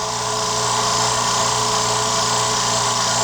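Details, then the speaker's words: New California Air Tools quiet air compressor, just assembled, recorded about 2 feet away, filling its tank: low steady motor hum with an even airy hiss, no knocking or rattles; normal running. "Just got done putting it together, and it's filling up as we speak. I don't know if you can hear it, but I'm talking it kind of just in a normal voice to give you an idea what it sounds like."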